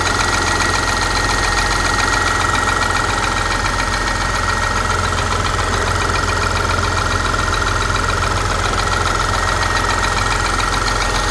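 Steady idle with a fast, even light ticking, roughly three or four per second, over the engine hum; source not pinned down. Cause suspected, not confirmed.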